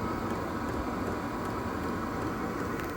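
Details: Diesel heater running, reassembled except the panel, with the fuel pump now wrapped (quieter): an even, steady blower whoosh with low hum and no ticking or rattles; normal running.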